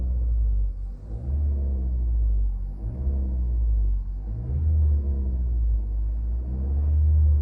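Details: 2017 Nissan Qashqai 1.6 DIG-T driving warm after a few kilometres: deep swelling low rumble rising and falling with vibration, present only when warm; cause unknown despite several service visits.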